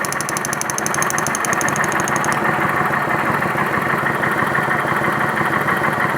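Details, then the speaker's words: 2011 Kawasaki Vulcan 900 V-twin after a deafening knock was traced to the pulley and fixed: even, steady idle with a smooth beat and no knock or rattle; the noise is gone. "o barulho não existe mais barulho olha só"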